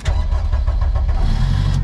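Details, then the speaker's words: Turbo Honda Civic, hot after driving/dyno use: won't start readily, with about a second of even rapid cranking before it catches into a rough idle. Owner unsure if cause is engine heat or an overworked fuel pump. "After we turned the car off, started it started won't start. Same thing happened again. Whether it's to do with the engine being too hot, I'm not too sure. Or the fuel pump being overly used."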